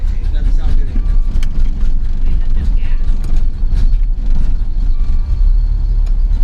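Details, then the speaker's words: 1986 Nissan 300ZX, hurricane-flooded, with a replacement for its stolen computer: low, uneven rumble surging and sagging, then it dies; it's not getting fuel because a ground wire that needs to be hooked up is disconnected. "oh I know why yeah I know why I know why remember that ground wire mic apparently I still need to have that ground wire hooked up it's not getting any fuel"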